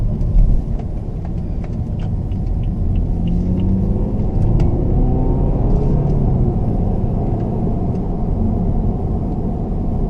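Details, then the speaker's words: 2013 BMW F30 320i M Sport xDrive, 2.0 L N20 turbo petrol, in sport mode after turbo replacement: deep rumble under acceleration with soft rushing, tornado-like spool and no whine; previous turbo whined. "and the spooling on this turbo it sounds like a dumb would you call it sounds like a tornado that's what it sounds like"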